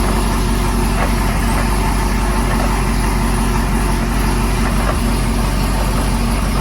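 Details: Camaro with Whipple 2.9 L supercharger at idle: loud rough, uneven knock about three times a second under a gritty grind; owner suspects a bad blower isolator, not confirmed.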